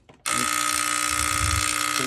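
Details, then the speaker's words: New Yorker steam boiler: harsh steady electrical buzz from the gas valve solenoid once it closes, with 24 V measured at the valve. Bad solenoid, fixed by replacing with a new OEM gas valve. "what I got going on is a solenoid in here is buzzing once the once the uh solenoid closes for the gas valve"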